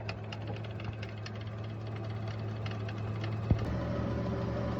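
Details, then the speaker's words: Chevrolet Lachetti with the 5D engine idles while warming up, with a light, uneven knock from below that sounds like a bearing but comes from a broken, flapping clamp; the oil pressure light is also on. "Ну, звук, конечно, прямо очень похож. Прикол. Слава богу, что это вот эта дичь."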